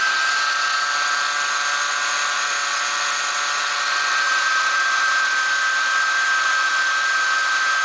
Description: There is a whining noise coming under the hood in this toyota 4runner 2003 V6 1GR engine.